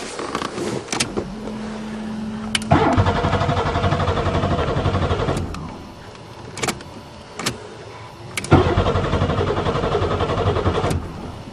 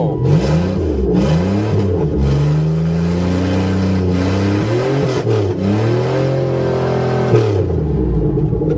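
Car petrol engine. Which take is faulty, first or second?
first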